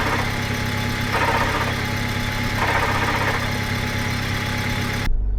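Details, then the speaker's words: 1999 Honda Civic four-cylinder being built into a dirt track car, muffler chopped off, idling: releasing the clutch brings a thin whirring tone and faint pulsing rattle from the transmission; owner suspects a failed input shaft bearing. "But soon as I take my foot off this clutch, I don't know if you can hear that on the camera, but there's a"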